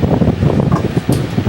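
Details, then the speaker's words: Vintage Bersted electric fan, previously oiled, running without oscillation: steady soft rush of air with low hum, no rattle or whine, less high-pitched than others; normal running. "moves a lot more air i hear what i mean about it being a lot less high pitched the other ones are kind of this one sounds more like what you would expect a regular fan to be"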